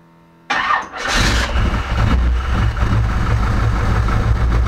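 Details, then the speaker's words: Chevelle after a no-start, spark plugs cleaned and a loose ignition module connector replaced with an original GM one: sudden crank and catch, then steady even low idle with no misses or knocks; starts clean. "well I'm not gonna spritz it at first we'll see if she fires up"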